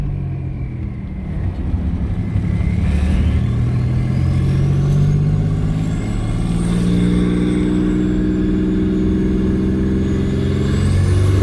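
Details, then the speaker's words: Twin turbo V6 Mustang, no blow-off valve, turbos still making no boost, owner suspects the coupler: engine pulls with climbing turbo whistle then fluttering off throttle; compressor surge. "But dang, that thing sounds wicked. That compressor surge. If you follow the build, you probably noticed by now, there's no blow-off valve on this."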